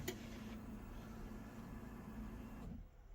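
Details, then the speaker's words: Rebuilt Mk1 Ford Escort with YB engine at key-on before its first start: a steady electric buzz under three seconds that cuts off cleanly as the fuel pump primes normally. "so the fuel pump runs that's a good start"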